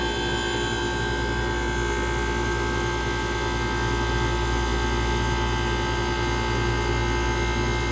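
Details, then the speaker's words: Vintage Comfort Aire air conditioner: smooth, steady hum with even whine and airflow, no knocks, rattles or surging; compressor fires right up and runs normally, blowing ice cold. "just like that the Comfort Air is ice cold ice cold just like that it fired right up with these ain't even having any problems"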